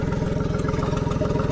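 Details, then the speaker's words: Tohatsu MFS 40A jet outboard at idle, about 45 PSI, fuel screen half full. It hesitates and sputters from half to full throttle. Fast, even low pulsing with faint ticking from the recently replaced low-pressure fuel pump, which the owner dislikes; a pinhole fuel-line leak was later found. "But listen to that. That is the low pressure pump right there, and it's making a noise that I don't like."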